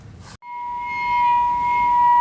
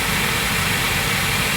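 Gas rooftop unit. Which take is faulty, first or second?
first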